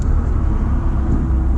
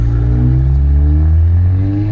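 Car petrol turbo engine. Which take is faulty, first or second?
second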